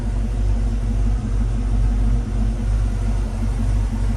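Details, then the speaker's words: 1995 Ford Mustang GT V8 after general maintenance, including injector cleaning after bad fuel: deep, steady rumble with an even beat and no stumbles, sounding better than before; normal idle. "oh but it sounds better yeah it sounds sounds happier I like it"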